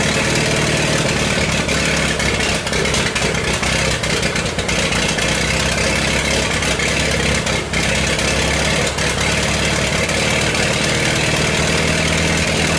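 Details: 1928 Farmall Regular after carburetor tweaks, started on the crank with timing advanced about halfway: steady, even idle with no misses or knocks under the clatter; normal idle.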